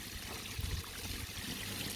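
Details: DIY bakki shower pond filter running with 75 kg of media now in place: a soft, steady trickle with no splashing or gurgling; much quieter than before the media went in, when it was very noisy.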